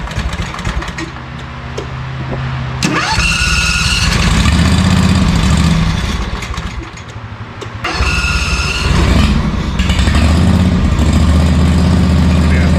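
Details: ZT200 mower with newly fitted replacement engine and new starter solenoid: cranks, catches and surges unevenly, sags, then catches again and stumbles; fuel starvation because the fuel valve is shut.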